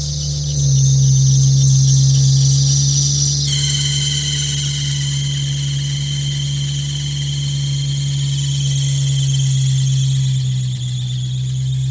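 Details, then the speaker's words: Nissan 350Z cold start: loud, steady high squeal holding through idle from a worn accessory belt, also squeaking in first to third gears; belt has a tooth eaten away. "is it would also squeak whenever driving on the highway whenever you got off you know first gear second gear sometimes even third this band is just done for"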